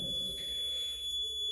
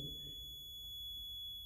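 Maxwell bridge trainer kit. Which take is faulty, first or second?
first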